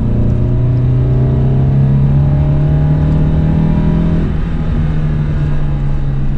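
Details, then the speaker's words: Alfa Romeo 33 boxer engine with carburettors, in poor condition at purchase, running very badly; uneven, lumpy note under light throttle with wandering pulses; the owner suspects worn piston rings (segment problem). "chúng tôi thực sự đang phải đối mặt với vấn đề phân khúc , đó là nơi mà những điều nghiêm trọng bắt đầu"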